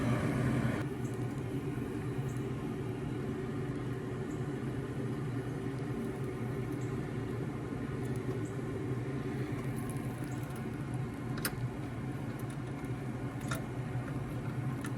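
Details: American Standard gas pack package unit after repair: even low steady hum with a few light clicks and no rattle or scraping, previous noise gone, inducer running smoothly.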